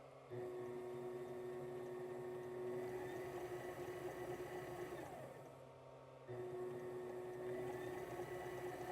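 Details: Sailrite sewing machine with 110 V Worker Bee Power Pack on very old Max SST modified sine wave inverter: even mid-pitched motor hum dropping briefly then smooth again; running normally.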